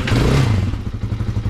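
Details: Hawk 250 / TT250 229cc single after a valve lash adjustment, just started, choke off: the thumping settles from a brief rev into a steady low putter of even beats, about twelve a second, idling cleanly.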